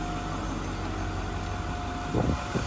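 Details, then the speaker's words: 2010 Workhorse Utilimaster W62 step van, diesel, 104,425 miles, emergency brake on; fires right up and settles into a steady, even low idle rumble with no knocks or misses, running healthy: normal diesel idle. "as you can hear it's fires right up i've got the emergency brake on that's why the brake lights on but fires right up sounds great again 1500 miles we drove it in"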